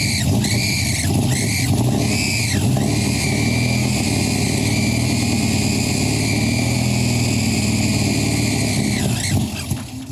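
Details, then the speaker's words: Classic air-cooled VW engine idling with a loud high-pitched whine that dips and recovers; worn alternator bearings suspected, before alternator replacement done without removing the engine. "So from what you've heard, you can hear I think the bearings in the alternator have gone, and that's why it's making that noise."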